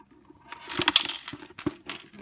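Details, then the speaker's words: Omega Juice Extractor model 8004 juicer that had started leaking: shaking the unit gives irregular light clicks and rattles, a loose part knocking around inside the body; part loose after tightening, before disassembly and repair. "You can hear something loose inside there. So we're going to take this thing apart and we're going to fix it."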